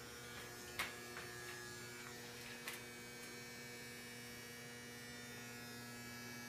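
Loud steady electrical buzz with a fixed low hum and a few faint clicks in a quiet room; boiler buzzing, cause not identified. Cause suspected, not confirmed.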